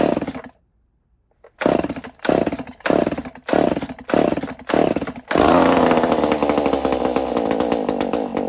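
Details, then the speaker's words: Stihl 019 top-handle chainsaw that sat in a barn for years, after carburetor rebuild, cleaning and choke repair: six quick throttle blips, then a steady, clean high rev. Runs normally; it has no spark arrestor, so it is loud. "right, cool. That sounds good. Runs great."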